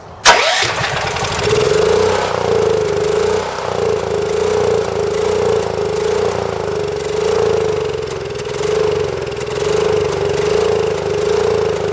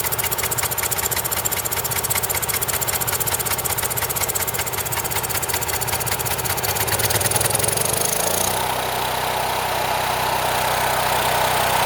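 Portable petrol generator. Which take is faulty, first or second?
first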